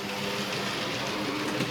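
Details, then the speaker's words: Small Hornby 0-4-0 model locomotive pulling too many wagons: busy whirring motor, rattling wheel clatter and a labouring tone; the underpowered loco struggles under the load. "on for this to pull. Struggles with pulling these."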